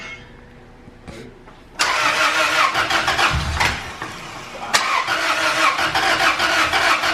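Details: Engine after installing new aftermarket valves and checking timing, cranking: starter churns about three turns a second with uneven beats but never catches; valve clearances found too tight, readjusted afterward.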